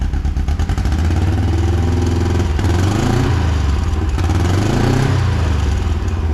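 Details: John Deere Gator XUV 590M after starter replacement, old starter grinding and not engaging: small engine cranks, catches and settles into a steady throbbing run, revs rising briefly mid-clip, firing even; starts and runs fine.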